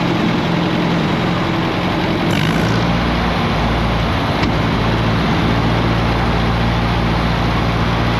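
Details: 1959 Allis-Chalmers D17 tractor after tune-up and new exhaust, under light hydraulic load lifting a plow: deep even engine beat holding steady speed, no knocks or misses; runs smooth and healthy.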